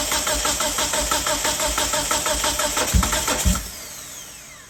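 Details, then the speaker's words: 1997 Mitsubishi Eclipse GSX cranking with fuel unplugged for compression test: steady starter cranking about three compression beats a second, never fires, then winds down; car has a wiring problem. "Should probably unplug the so it's not getting fuel. Crank it a couple times, get the fuel out of there if there is any."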